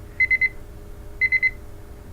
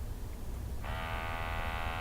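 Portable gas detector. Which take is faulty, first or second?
first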